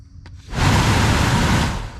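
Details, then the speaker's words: 2008 Chevrolet Tahoe new rear A/C blower motor bench-tested before reassembly, after old motor failed with no rear airflow: spins up with steady whoosh and smooth even hum, no rubbing or ticking. Normal run after replacement. "So all we'll do is just take this is our new one, and before we put everything back together, we'll just plug it in, see if it turns on."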